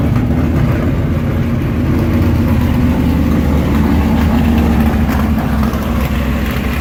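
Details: Engine with mechanical fuel injection, cold start after priming fuel: deep, loud, even rumble with steady firing and no knocks or misses; healthy cold idle.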